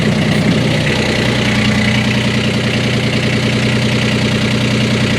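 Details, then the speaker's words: 1988 Catalina 36 inboard running after securing the loose exhaust fitting with stainless hardware: steady even engine note with firm low beat, no grinding or rattle; vibration gone. "No vibration! Woo! Dude, the simple fixes are the ones that make me so happy."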